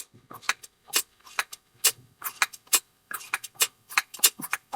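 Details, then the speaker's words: Espar D30W diesel boiler fuel pump, vacuum gauge on the output side: short, irregular dry clicks about once a second. The check valve, earlier seemingly stuck, now opens freely at the slightest pressure. "Just the slightest pressure. I can hear it opening. So, that's great."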